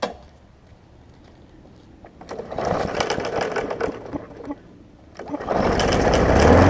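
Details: 2018 Murray big wheel mower with swapped, reconditioned engine, first start after reassembly: cranks, catches and runs with an even chug of about four beats a second, dies, then restarts and runs steadily; normal running.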